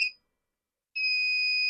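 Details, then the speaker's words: Wagan Elite 400 W pure sine inverter on a bench supply with a 75 W incandescent load, input near 10.5 V: loud shrill beep about a second long, repeating, the low-voltage alarm shortly before cutoff at about 10.16 V. "10.5. Yep. And if you boost up a little bit, still beeps. Probably have to go way up."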